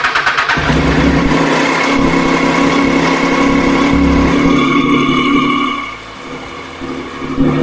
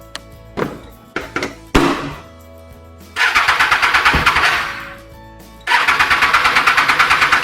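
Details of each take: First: Triumph Street Triple R after reconnecting the fuel line clips, fuel pump now heard: engine catches within a second, revs smoothly, settles to a steady even idle; clean start, fixed. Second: Triumph Street Triple R after K&N air filter cleaning, reassembled: starter churns in rapid bursts about three a second but engine never catches; fuel line not connected correctly, so no fuel delivered.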